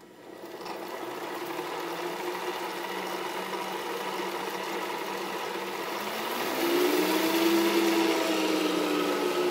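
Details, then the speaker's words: 2HP DC treadmill motor (thought to run up to about 5000 rpm) retrofitted to a Bridgeport mill in place of the failed 1HP J-head motor, switched on unloaded with no cutting; fan draws air up and vents hot air. Smooth, even whine climbing in pitch as speed rises, healthy. "so i flip that switch on it'll start drawing air up through the fan uh my vents are right here to blow the air out the hot air out"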